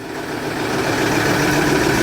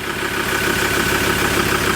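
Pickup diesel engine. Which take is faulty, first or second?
first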